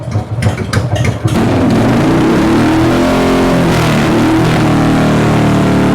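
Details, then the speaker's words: Sluggish Harley Evo Dyna V-twin, hard to start cold: a few throttle blips settle into a steady, even idle with no misfire or popping; timing sounds spot on. Only 9 volts at idle, so charging fault suspected in rectifier or stator. "But, I mean, it sounds like his timing is is spot on."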